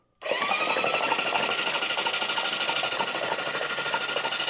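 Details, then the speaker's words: Freed-up seized 1973 Honda CB750 four-cylinder engine on the bench, cranked by its own starter with a battery hooked up: strong, even whir at about three beats a second with no binding, ATF blowing out; normal cranking. "Yeah, it's blowing it out. Oh, still coming out. Well, that starter's a champ."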